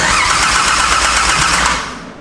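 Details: Barra engine first start attempt at night, remote tech support: starter spins the engine at a fast, steady churn for about two seconds, then winds down without firing; cranks but won't start.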